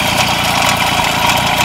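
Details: MBK 51 moped with Cobra exhaust cracked and broken off, can't be fixed in place: loud, harsh, raspy idle with fast crackling pops and almost no muffling; exhaust to be ground out and welded.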